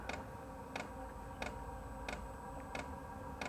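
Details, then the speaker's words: Wippro 8 kW all-in-one diesel heater self-priming at startup, exhaust piped out of garage: crisp single ticks about every two-thirds of a second over quiet hum; normal fuel dosing pump feeding fuel before ignition. "the ticking right now that's the fuel pump sending fuel into the diesel heater and then once it reaches that it should start firing up"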